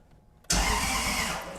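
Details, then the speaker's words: Toyota 1UZ V8 swapped into a Subaru BRZ, first crank after plugging in the starter solenoid, on jump box: quick, even whirring churn as the engine turns over freely; cranking healthy. "What? It sounded like the motor was turning over."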